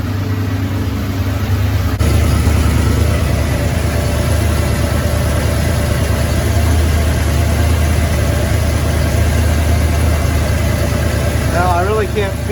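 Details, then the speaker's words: Idle after replacing the Y-pipe to exhaust manifold gaskets, with one manifold nut re-threaded with thread locker: smooth, even low rumble with no ticking or puffing; the exhaust leak noise is fixed. "okay so we are now going to start this bad boy up and see if our exhaust problem has been solved well it's not making a lot of noise that part's been taken care of"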